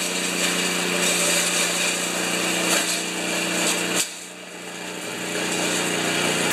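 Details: 1973 Tecumseh single-stage snow blower engine after carburetor reinstall and leak check, augers always turning while running. Steady buzzy drone at even pitch, then cuts off cleanly; smooth, normal running.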